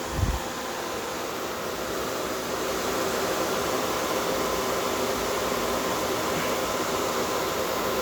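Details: Small compressor in a homemade air conditioner at first start-up, not yet fully charged, no condenser fan, headers reading about 78 top and 173 bottom. Constant smooth hiss and hum for eight seconds, no knocking or rattling; normal compressor running.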